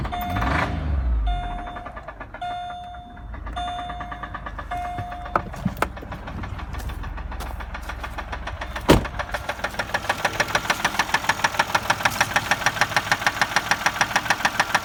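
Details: 2004 Chevy Malibu at idle after startup: steady rhythmic knock about three per second over the engine; engine stalls when idling in drive, knock persists while driving; owner suspects a spun bearing, unconfirmed.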